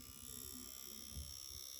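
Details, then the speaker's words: Two-week-old Microsoft Surface Pro 8 under stress: fast buzzy rattle riding on high fan whine, like an insect inside, getting louder; fan rattling. "well i think of the rattling sound well there it is it sounds like there is an insect inside or something it's pretty loud"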